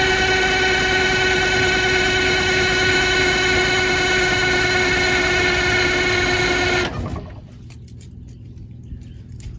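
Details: Motorhome engine, cold after sitting a couple days, usually sticks with white smoke: loud even roar with steady high tone for several seconds, then cuts out abruptly; possible exhaust leak noted; hard cold start, rough running.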